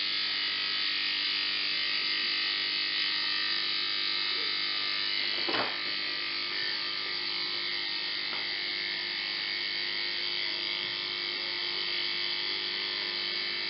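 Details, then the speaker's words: 1950s Federal Beacon Ray motor after repair, run on to let the brushes seat: steady, even high whir with no knocks or scraping; runs smoothly, judged a success. "I found the best thing to do is just let it run and let the brush the seat and I would call that a success"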